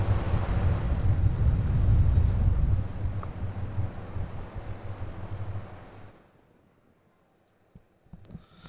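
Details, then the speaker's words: New mini-split heat pump installed on a camper, set to heat on a cool day, outdoor unit: soft low even hum with no rattle or squeal, fading away; very quiet running, quieter than the factory rooftop unit. "And I don't have a decibel meter or anything like that, but it is not loud at all. I mean, you hear the dogs barking next door louder over top of this thing. So the outside unit's really, really quiet."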